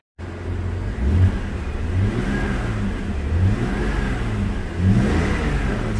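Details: 2004 BMW 325xi after replacing the accelerator pedal assembly with the broken pivot: engine starts and revs rise and fall cleanly with crisp throttle response, no hesitation and no warning lights; fixed.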